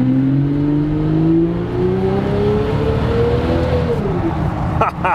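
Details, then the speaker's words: V12 BMW 7 Series accelerating on the road after fixing a no-start: smooth even pull, pitch climbing steadily with revs, no knocks or misses; normal acceleration. "the car is running perfectly i'll tell you what i love this little stretch of slit road here because well you'll hear why"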